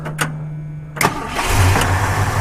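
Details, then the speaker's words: 1976 Ford F250 Supercab with factory 390 V8 and Edelbrock four-barrel carburetor: quick crank catches within a second, then a steady, even, low-rumbling idle with no knocks or misses; runs really smooth, sounds healthy. "it runs really really really smooth"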